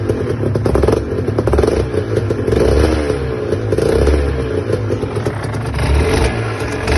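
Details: Aprilia RS 125 two-stroke idling and blipping, with a rough clattery rattle over the exhaust note; abnormal engine noise, source not pinned down.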